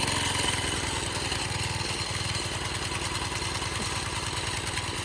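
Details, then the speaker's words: 1987 Craftsman tiller that sat 20+ years, first cold start on choke after restoration. The single chugs unevenly at a fast idle, skipping beats (eight-stroking). Cold and a little rich; owner is 99% sure the carburetor jet is too big. "It's currently an 8-stroke because it's cold and it's a little rich, because I'm 99% sure the jet inside the carb is just too big."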